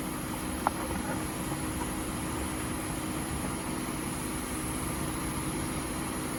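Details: 1998 Oldsmobile Aurora V8, sitting since 2016 and brought back to running: quiet, even idle with no misses, ticks or hunting, a soft steady purr like a sewing machine. Normal idle.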